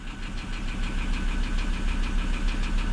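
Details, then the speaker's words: Auction vehicle with six-speed automatic, clean oil and full coolant, just fired up at idle: a steady, deep knock about three times a second hammering through. Rod knock. "oh dear she's a rod knocker she's a bit Taffy"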